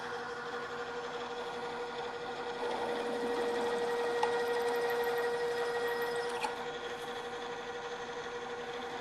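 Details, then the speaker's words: Drill press cutting a hole at a lower speed after chattering at too high a speed: steady mid-pitched hum, bit cutting cleanly with no chatter or jumping, drilling then backing out to clear chips. "drill is cutting much more smoothly now we continue as before drilling for a while and backing the drill out and clearing the chips"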